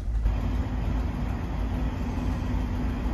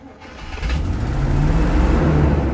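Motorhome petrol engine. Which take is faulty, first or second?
second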